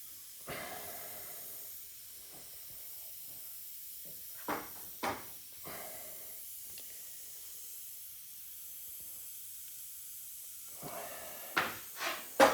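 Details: Subaru XV tyre off the car with a broken-off nail causing a slow leak, puncture hole reamed larger with the repair kit tool: short sharp bursts of hiss as air escapes between handling noises, before plugging.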